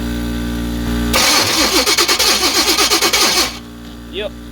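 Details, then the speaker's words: 1985 Chevrolet C10 with high-compression 383 stroker small-block, first start after 10+ years, fuel bowls just filled, starter acting up: V8 cranks in an uneven chug about three turns a second but never fires; no spark, owner suspects distributor control module. "no fire our air compressor is on I don't know how good y'all can hear me but yeah she's not firing and I'm willing to bet it's probably going to be the control module in the distributor there"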